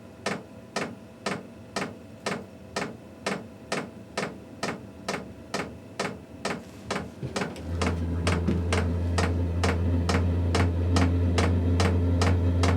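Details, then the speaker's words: Diesel heater in a truck camper starting on level 2: loud dosing pump ticking about twice a second, then a steady low roar as the flame lights; normal ignition phase. "Yep, there goes the pump. Like I said, very loud. You can hear the flame just kicked"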